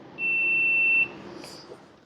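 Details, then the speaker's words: Husqvarna 150BT backpack blower that won't shut off with the switch: the continuity meter gives one steady high beep for about a second while the kill-switch wire is flexed near the handle, then silence. The owner suspects wire bending there. Finding: broken wire in the kill circuit. "I think what's going on right here by this handle I think is probably from the wire bending."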